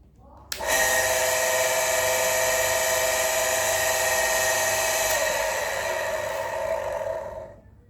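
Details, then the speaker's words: Shimizu electric water pump with rough-noise complaint: starts, runs about seven seconds with rough gritty whir, then stops; worn motor bearing, replaced to restore quiet running. "Di video kali ini saya akan mencoba memperbaiki sebuah pompa air dengan keluhan suara kasar seperti dalam video."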